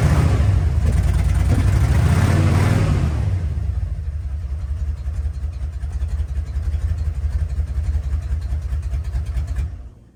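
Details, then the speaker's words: 1988 Ford F150 XLT Lariat 2WD with the muffler cut off after being brought back to running: loud, throaty rev settling into a steady, even rumble with a regular low beat; a normal start and run. "Sounds like a real rig now."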